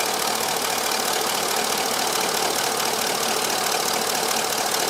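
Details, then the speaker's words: 2000-2006 Chevy Silverado after replacing the leaking heater core inlet connector, running about 10 minutes at normal operating temperature: steady, even idle hum with fan rush, no knock or stumble; plenty of heater heat, no leak, normal warm idle. "I've had the truck running about 10 minutes now so that it's up to normal operating temperature, and there's plenty of heat coming out of the heater, and I don't see any leak anymore."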